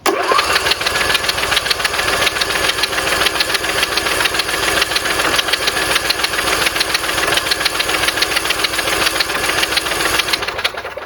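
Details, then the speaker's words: Briggs riding mower engine, previously seized from running dry on oil, cranked on the starter with the spark plugs removed: fast, even spin with no compression pulses and no binding or knocking, now completely unseized. "Sounds pretty good. And it feels... Oh yeah, I mean, this is completely unseized now."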